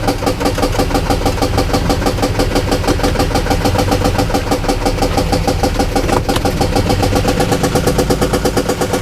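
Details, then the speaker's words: Car engine with stuck-on brake lights, battery kept disconnected: uneven, lumpy idle with loose knocking about twice per second; owner thought it sounded like a missing O2 sensor, then suspects blown head gasket from coolant smell; teardown needed to confirm. "this thing oh I think we got a blown head gasket yeah cuz I smell coolant dumping out also all right not what I wanted to deal with"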